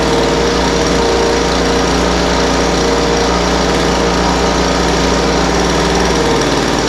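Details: Poulan Pro 200 mph two-stroke leaf blower, received as a non-runner, after carburetor adjustment: idle mixture leaned out from too rich and top end tuned. Steady, even high-pitched buzz with no surging, sputtering or hunting; holding speed and running cleanly.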